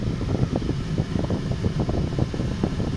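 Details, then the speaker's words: Ford Mondeo with suspected BCM fault, just after start-up on ramps, bonnet open: loud steady rushing roar of air at full force without easing, like heater blower stuck on maximum; cause suspected, not confirmed. "Why the hell's the AC going absolutely mental? What the hell?"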